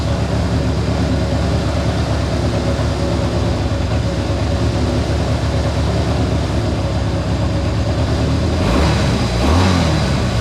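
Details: Honda CA160 Benly twin after carb rebuild with clogged pilot and main jets cleared, float level set: even, steady idle then a clean throttle blip; runs well.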